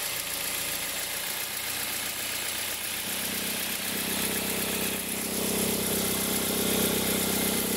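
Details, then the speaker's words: 2003 Toyota Corolla, noise only when cold and stops as the engine warms, louder with a slight rev in reverse; fast regular chatter over a whir, loudest at the accessory belt tensioner. "a gente percebeu que o barulho ficava muito forte na região aqui da correia de acessórios, porque o barulho dá ressonância no motor inteiro"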